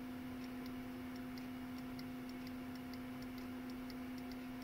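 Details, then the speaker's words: Non-ASR throttle actuator from 1995 Mercedes S320 on bench test after rewiring: faint crisp ticks at steady pace over quiet even hum; idle micro switch clicking, working properly. "the micro switch over here is working good you can hear the clicking"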